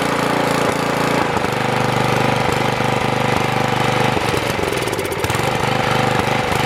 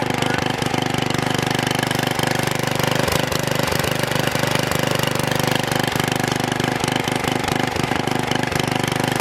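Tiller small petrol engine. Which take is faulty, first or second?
first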